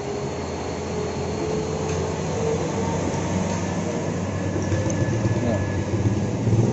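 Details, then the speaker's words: Yamaha Jupiter Z that won't idle, starts hard and fouls plug black: small single buzzing unevenly with throttle held open, dies if released; runs rich and rough. "Jupiter ini ada masalah beberapa jam jadi motor ini enggak mau langsam terus kalo dinyalain susah hidupnya terus di bagian gusi juga hitam"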